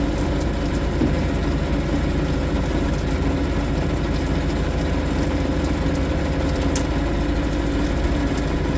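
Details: Suzuki DF 2.5 HP outboard, warm-started without choke in neutral after a no-start blamed on the low-oil sensor; smooth, even idle with a steady low putter, no misses or knocks. Healthy.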